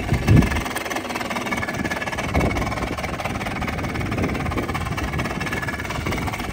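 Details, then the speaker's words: 1996 Yamaha Blaster two-stroke ATV, bought cheap, with new petcock and fuel line; steady, busy idle with even crackle and no knocks or misses; owner says it sounds odd on recording but normal in person: normal idle. "yeah not sure why it sounds like that it ran pretty good it sounds normal in person"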